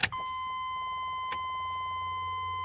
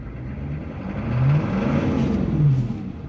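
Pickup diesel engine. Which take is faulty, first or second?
second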